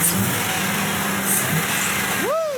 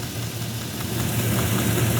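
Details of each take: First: 2005 GM truck 6.0 L Gen 4 LS V8 after a stuck injector was freed with punch and hammer: even idle under some hiss and one clean rev, misfire counters at zero, no misfire. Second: GM truck V8 at idle, listening at cylinder 8's injector: a low steady hum without the ticking heard at the other injectors, a dead miss on cylinder 8 with the injector not firing; it is then tapped with a punch and hammer while running to free it.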